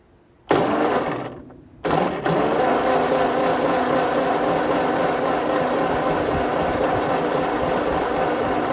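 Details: 1952 Ford 8N tractor cranking after thick oil and ATF/acetone added to free suspected stuck rings; steady fast cranking, weak uneven compression beats, no firing; low compression (about 60 on one cylinder), stuck rings and valves.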